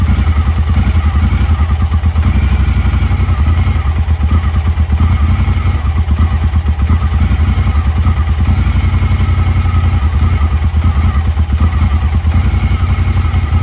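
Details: Honda Talon before the fix: uneven, lumpy idle with a stumbling beat under a steady low rumble; it used to stall when put in gear; owner first suspected fuel; rough running.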